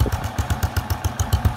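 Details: Honda Wave Alpha single-cylinder with 52mm big-bore piston, warm: crisp, even exhaust pulses about eight a second, no knocks or rattles; running healthy; exhaust smokes slightly from wet muffler.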